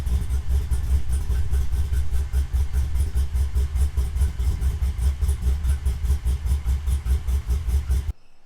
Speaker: So as you can hear, it's still tamed. Wish it was a bit louder, but it is a daily